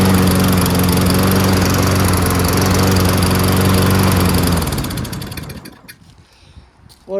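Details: Toro Recycler 22-inch front self-propelled mower with Tecumseh engine, after carburetor clean repair: smooth, steady drone with even firing and no surging, then a clean shutdown; engine running right.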